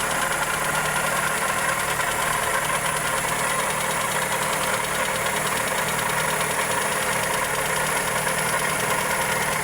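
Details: Toyota Corolla EE90 with 2E engine at steady idle: light, fast, sharp tick running through it; valvetrain or connecting rod suspected, cause not confirmed.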